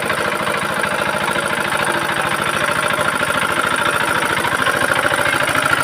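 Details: Very old Usha Z170F single-cylinder diesel running after full restoration and repair: even, steady thump at a settled idle, firing cleanly with no knock or misfire. Sounds healthy.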